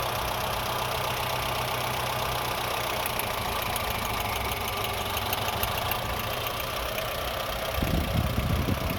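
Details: Honda Fit engine idling unevenly and lumpily, with irregular stumbles breaking the rhythm instead of a smooth beat; engine misfiring at idle.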